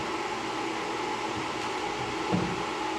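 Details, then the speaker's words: Camel MMA250I 250 A inverter welder after its four burnt-out IGBTs were replaced and the diodes checked. Powered up through series power: a quiet, even fan rush with a faint steady hum and no buzz or crackle. Normal running. "अभी मैं इसको power दूंगा, देखिए मैं इसको power दे रहा हूँ, तो चालू हो गया।"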